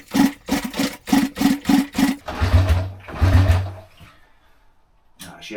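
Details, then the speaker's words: Honda S65, first kick-start attempt after acquiring with fuel newly connected: a few quick firing bursts then two heavy booming backfires and silence; owner suspects carb flooding the cylinder or ignition timing 180 degrees out, leans toward timing. "Right, well, she weren't happy. Couple of massive backfires. So it's either the carb is just flooding straight into the cylinder, so I've taken the carb off, or the ignition timing's 180 degrees out."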